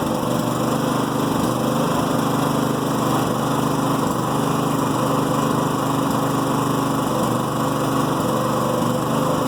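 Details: New Firman generator in Eco mode: a small engine at a low, uneven idle with an irregular stumble of three to four pulses a second. This is a rough idle with misfire or slight backfire that reportedly eases out of Eco mode or under load; the owner is unsure whether it is normal.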